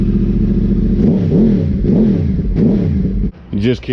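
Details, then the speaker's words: Yamaha R1 with crossplane four-cylinder engine, after repairs: an off-beat burble that swings up and down cleanly through several throttle blips, with crisp pickup and no knocks. Normal, clean idle and revs. "can't beat that sound to me in my eyes it it has like the classic sound of what the Ducatis the original 996 series Ducati sound like but just that little extra since it has two extra cylinders just sounds amazing it sounds mega mega clean"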